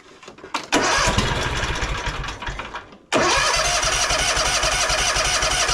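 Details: John Deere X300 riding mower after carburetor work, engine warm: starts, sags and dies after a couple of seconds, then restarts to an even idle with occasional blips; leftover bad fuel suspected, or an air leak at the carburetor-to-intake gasket.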